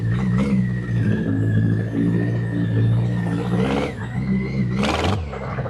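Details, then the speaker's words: BMW K100 after about three years in storage, oil present but black: engine settles into a steady, even low rumble with light throttle blips. Runs fine, normal running. "Well, against all odds, it does actually work. So yeah, I'm chalking that up as a massive win."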